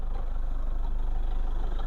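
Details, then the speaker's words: 2011 Toyota Fortuner G 2.5 diesel, manual, hood open at idle: steady, even low diesel clatter with a regular pulse, no knocks or misses. Engine is smooth, dry and free of leaks. "mesinnya masih garing, masih halus, nggak ada yang bocor-bocor."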